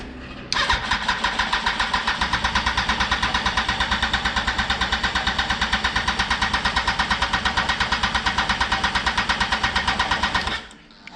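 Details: 2004 Yamaha R1 unstarted for over 10 years, with 2-year-old fuel still in the tank: the starter churns about three beats a second for ten seconds but the engine won't keep running on its own; cause unconfirmed.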